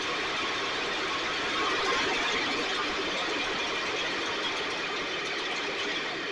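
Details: STIHL backpack blower (believed 6R450), new spark plug, recoil off. Raspy two-stroke buzz swells and sags unevenly; runs lean with surging idle, needs occasional choke to keep running; a little water in tank not deemed the cause; owner suspects carburetor.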